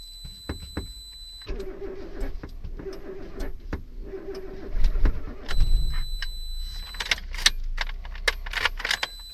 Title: suzuki wagon r+ no start